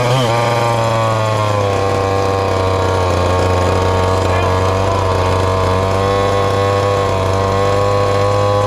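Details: Ported little 2375 chainsaw with carb and ignition-timing mods, running methanol: held full-throttle scream, high and thin with no four-stroking. Still lean with the carb tuned fully rich; the carb needs drilling out.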